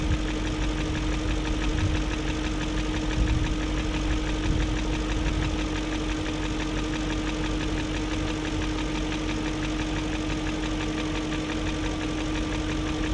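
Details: 2001 BMW E38 740i Sport at steady idle: fast light ticking over a constant hum persists after new timing chain, guides, tensioner and VANOS profile gaskets; no codes, idle good; owner suspects failed VANOS unit, source unconfirmed.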